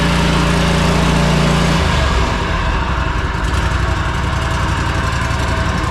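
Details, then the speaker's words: Riding mower V-twin, 500 hours, after valve lash adjustment, rocker mount repair, oil added and air filter cleaned: steady, even beat settling lower after seconds, no clanking or tapping; valvetrain healthy. "obviously that sounds a lot better guys no more loud clanking noises going [Applause] on"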